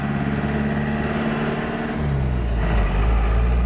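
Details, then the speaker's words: Bullnose Ford F350 project truck driving with hubs unlocked: engine drone with rough, loosely repeating clang near four per second under acceleration; worn driveshaft U-joints clanking. "The freaking U-jints are going clang clang clang clang clang."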